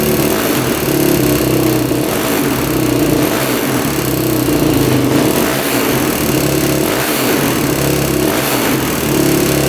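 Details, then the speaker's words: 2006 Yamaha YFZ450 single-cylinder quad: loud surging and hunting, can't hold steady idle, pops, sweet coolant smell with white smoke burning through; blown head gasket, also top-end ticking owner thinks is valves. "I can smell like a sweet smell like coolant but see it burning through there that's interesting"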